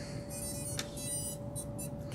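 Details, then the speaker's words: 75mm HD whoop (HappyModel Mob7 frame, BetaFPV Matrix 1S G4 flight controller, THobby 0802 27,000kv motors), LiPo plugged in after a short check: quick rising high-pitched beeps as the ESCs arm normally. "So, we're just going to go ahead and plug it in. Make sure we hear our ESC's. Hear some noise."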